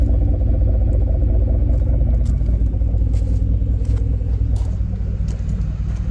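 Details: 2010 Ford F150 4.6 2V V8 idles with a deep rumble and a light, uneven rattle, loudest on cold start and under throttle, fading once driven; owner suspects piston slap or a wrist pin on cylinder 3, or the torque converter, unconfirmed.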